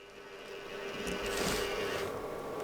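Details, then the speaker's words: Cryptocurrency GPU mining rig just moved and powered on: steady buzzing whir with a faint rattle over the fan hum from one broken GPU fan; noise stopped once that fan was dealt with. "I'm hearing something not good on this rig can you guys hear that wait a sec it's yeah definitely one of the GPU risers fans one of them is broken"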